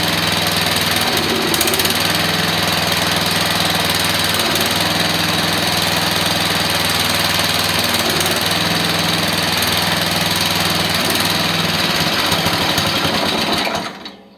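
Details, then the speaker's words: Briggs & Stratton engine newly mounted on an off-road mower build: loud, steady, fast single-cylinder beat through an open exhaust, louder than its quiet label, then clean shutdown; normal running. "Alright, so there you are. It is running. It's not as quiet as what it says."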